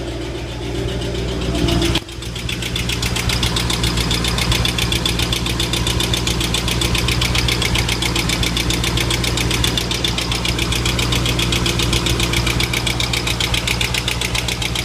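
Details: 2005 Ford Mustang GT V8, 108k miles, on Mobil 1 5W-20 with K&N filter: steady light ticking about four per second over a smooth idle; cause not pinned down.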